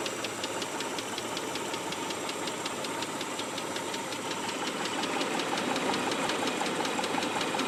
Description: Noise emitting from motor after less than 60 miles of driving.